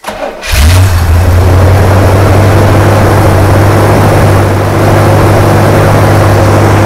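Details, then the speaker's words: 1980 Chevrolet Corvette C3 5.7 V8, first start after sitting nearly ten years, alternator disconnected after catching fire; catches quickly and settles into a strong, even low rumble with no misses or knocks; normal running. "that sounds lovely that's beautiful that is beautiful"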